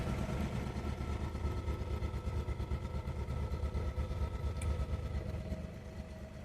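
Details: Original one-owner 1966 pre-production LHD Ford Zodiac MkIV idling in neutral, handbrake on, good oil pressure: low, even idle with a soft steady beat and no knocks or rattles; normal idle.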